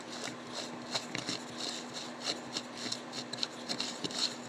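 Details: Western Auto Supply Revelation No. V1326 automatic fly reel, disassembled and cleaned, turned by hand without the line spool: light uneven ticking and soft rasp, no catching or binding; gears turn freely, though it stops turning once the spool is fitted.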